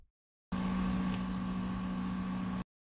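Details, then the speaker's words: PS5 recorded with a sensitive mic at the vent slots, audio heavily amplified: thin steady whine over fan hiss. Coil whine seems to appear as graphics load and more power is demanded. "scheint je mehr power von einer konsole verlangt wird dass spulen fiepen zu aktiviert werden"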